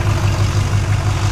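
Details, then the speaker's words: Modern diesel truck idling with oil cap off, suspected hole in piston: uneven chuffing pulse about six times a second, one cylinder dropping out, a dead miss with rhythmic crankcase blow-by puffing at the cap, plus smoke. "o I took the oil cap off, and you can feel like a rhythmic puff. Like, it's got straight compression coming into the crankcase from a cylinder."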